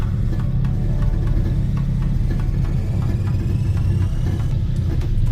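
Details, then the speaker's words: 1991 Eagle Talon 1G DSM after a throttle body plate fix, cold start on a 45°F morning: steady even idle rumble with no speed rise and fall, plus a rattle from a disconnected center exhaust. Normal cold idle, no surge. "we are having zero idle surge right now."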